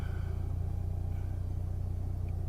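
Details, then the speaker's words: 1998 Eclipse GST, idling after swapping in FIC 650cc injectors with wideband O2 emulating narrowband; owner thinks old injectors needed cleaning: deep, steady, even rumble, idling perfectly with no misses or stumbles. Normal idle. "look at that it's idling it's idling perfectly it's still a tramatic it's running great so I think it was my fuel injectors they needed to be clean"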